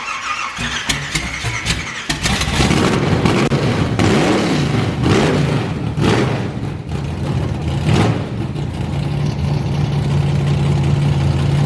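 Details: Nitrous 454 street truck started with newly fitted alternator and belt: cranks and fires, then a steady high squeal over rough idle, barely changing with speed, and it won't rev; likely slipping belt.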